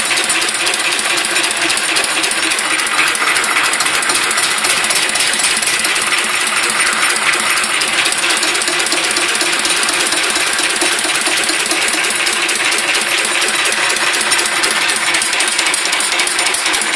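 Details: Listeroid 6/1 single-cylinder diesel after repair: steady, even rapid clatter, no anvil-like knock; the knock came from a 0.5mm key-to-flywheel-hub gap, fixed by welding and filing the key.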